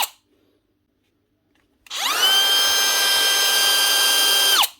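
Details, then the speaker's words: Dewalt DCW600 18V cordless trimmer (router) after cleaning a dirty switch contact that was not making full contact. Motor spins up to a clean, steady high whine, holds about three seconds, then winds down smoothly, running normally. "Surprisingly enough, it actually did. Sweet. It actually was a dirty contact on the switch. Must have just been getting full contact inside."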